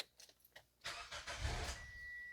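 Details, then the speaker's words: 2005 Toyota Corolla 1.8 after water pump replacement with battery disconnected, started next day to bleed cooling system: cranks, catches, runs about a second and a half then dies; stall because battery was disconnected, ignition on 30–60 seconds first prevents it. "I had the battery disconnected so if you start it up uh right away it will just uh start and install so if you want you can can leave the ignition on for about half a minute or 1 minute or something and then you can start it and it won't stall"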